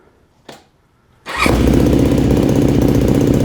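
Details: Yamaha YFZ450 rebuild, start after new starter, solenoid, CDI, coil, plug, water pump and carburetor mid-body rebuild with new jets: a click, then the single catches at once and settles into a steady, even idle thump; normal start and idle.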